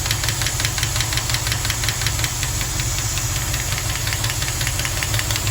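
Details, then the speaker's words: 1974 Jensen Interceptor, Chrysler big block, warm idle after a 15-mile run, oil pressure 70 psi ten minutes after starting: sharp light ticking about three per second; one noisy hydraulic lifter, absent when cold, both suspect lifters to be replaced. "so just to summarize i've got this noise it appears to be from one lifter i think it's that one"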